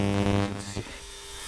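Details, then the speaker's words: Ultrasonic cleaner running with the Caddy's fuel injectors in cleaning solution, heater set to 50°C for a 30-minute clean; a steady low electrical buzz with stacked overtones that then settles quieter, normal operation. "this F makes a heck of a noise on camera but you'll see what happens"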